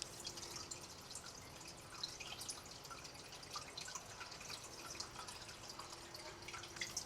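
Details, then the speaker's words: Reef aquarium sump, skimmer off, filter sock silencers removed: steady hiss and splashy patter of water dropping into the socks, up to about 53 dB, louder than with the silencers fitted. "right so I had the skimmer turned off and I'm going to take a measure here to see how loud the water is that's dropping into the filter socks"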